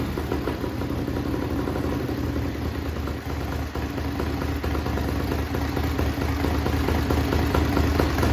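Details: Racing lawn mower twin-cylinder engine on methanol: loud lumpy hard-edged idle with fast steady beat, no knocking; healthy.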